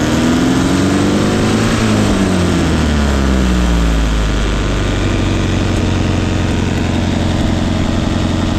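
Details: 1971 Datsun 510 with Weber 32/36 carburetor, after rough idle and no-start were fixed by correcting timing at the distributor adjustment plate: brief rev settling into an even, steady idle with no misses; runs smooth.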